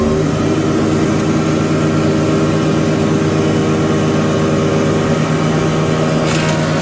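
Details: Used SR6-10 (Krasny Metallist) 630 mm thickness planer after restoration repair in May 2021, three motors (main, lift, feed), feed 8–16 m/min: steady even motor and cutter-head drone, no knocks or rubbing; runs healthy.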